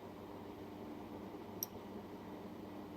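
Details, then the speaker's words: Relay harness from commercial equipment, powered from a DC supply and tested at the harness: relay K5 gives a crisp, fairly firm click over a faint hiss, a little louder than K4. K3 and K4 are weak. "Oh, sorry, that was K4. K4 sounded low. It wasn't a very strong click."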